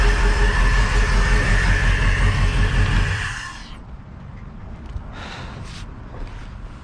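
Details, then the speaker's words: Crusader 8.1 Captain's Choice marine V8 with a new long block, running rough and not making rpm: low, lumpy, loping idle before shutdown from one dead cylinder; fuel pressure regulator ruled out, injector issue suspected. "oh yeah that's running rough it is like a full-on dead hole here let's take a look i heard that one"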